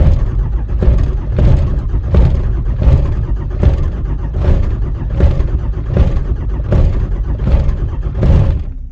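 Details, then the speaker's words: Cold start of a 5.9 Cummins diesel at 12°F, coolant 14°F, no block heater or grid aid, five-year-old dual batteries, anti-gel fuel, no throttle: slow heavy cranking with smoke that never catches. "All right, well, we got her going, man. Took a little jump. What did it crank? About 8 times before it really took off."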